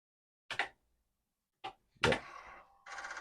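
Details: Commodore disk drive (2031/4040 troubleshooting) sent a format command: several hard clunks then fast, even buzzing chatter as the head steps; it typically ends reporting bad disk.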